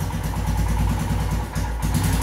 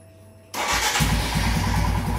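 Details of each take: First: Royal Enfield Himalayan with throttle position sensor deliberately unplugged: single-cylinder thump sags and stumbles briefly under throttle before picking up again; hiccups, sometimes dies, erratic even at full throttle. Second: Royal Enfield Himalayan after reseating the throttle position sensor connector until it clicks: starts at once and settles into an even, regular thump, much smoother, no hiccups on acceleration.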